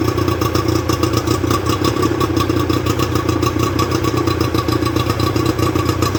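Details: Rebuilt Johnson 50 HP two-stroke outboard on a Taylor 5.25 m boat, run on flushing water with thermostat fitted: even, steady burble with a fast regular pulse, no knocks or misses; runs smoothly and healthily.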